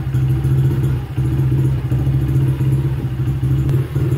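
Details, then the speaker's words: 2006 Honda CRF70F single-cylinder, rough on old fuel, warm after several minutes idling on Quickshot fuel treatment with choke off and carburetor not yet cleaned: fairly steady idle with a few brief dips; runs acceptably but could still be cleaner. "Okay, so been idling for a few minutes. It's doing okay."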